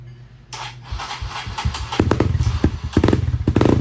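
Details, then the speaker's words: Kawasaki KLX140 with a BBR 170cc big bore and 26mm Mikuni carb, first fire-up on choke with no carb adjustment or jetting yet: single-cylinder thump settles into an even, steady beat with no knocks or misses. "Sounds good. Hey, we didn't do any adjustments to the card yet."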